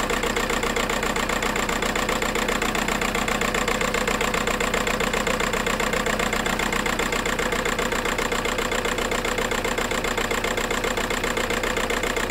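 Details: VW Golf 4 TDI 115 pump-injector diesel that judders and shakes, first start: idle with steady knock about two beats a second and uneven shaking rhythm, misfire; suspected injector wiring harness or faulty injector, not yet diagnosed.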